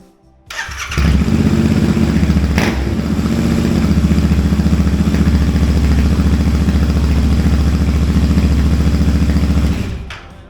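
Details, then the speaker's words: Royal Enfield single after 7 days unused, cold start: fires quickly after short crank and settles into an even, deep single-cylinder thump at idle; starts and runs healthy. "God, I missed that sound so much."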